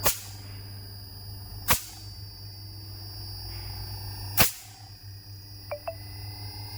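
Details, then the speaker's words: Carrier inverter AC outdoor unit running after PCB repair for a P0 error code: steady low compressor hum with smooth fan motor and a few sharp relay clicks; normal running. "इसकी outdoor की motor हमारी on हो गई है। ठीक है, आप देख सकते हैं, ये इसकी आउटडोर की मोटर है, ये ऑन हो गई है। कंप्रेसर की आवाज़ आप सुन सकते हैं यहाँ पर।"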